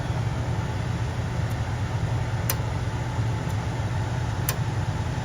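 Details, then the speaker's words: Furnace humidifier in test mode: crisp single clicks about a second apart over a low furnace rumble as the solenoid water valve opens and closes, water flowing; valve working normally. "See, every time it clicks, it's opening or closing, right? So right now it's open."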